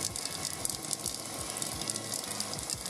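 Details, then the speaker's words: KitchenAid KSM97DP tilt-head mixer gearbox after a drive gear and grease replacement, running at slowest speed with a soft, wet, grinding-like squish from fresh grease spreading. The gearbox runs smoothly, a normal run. "Now, you might hear this noise that sounds like it's grinding, but that's actually the grease all squishing around."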